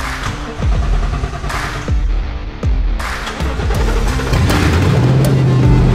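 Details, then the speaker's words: 7.3L Godzilla V8 in an S550 Mustang with new camshaft and valve springs, first start after two days of cranking no-starts: the engine catches and settles into a deep, lumpy, throbbing run that steadies out; healthy first start. "so I am so freaking stoked that this thing finally fired up it has been a long time coming"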